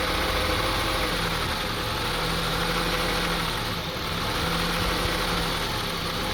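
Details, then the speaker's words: 2002 Honda CR-V 2.4L petrol engine idles roughly, RPM unstable and wavering up and down; air hose found cracked, but suspects like throttle body, spark plugs or excess oil unconfirmed and not yet fixed. "the RBM is not stable on idling it goes up and down a little bit and you can listen to the engine sound"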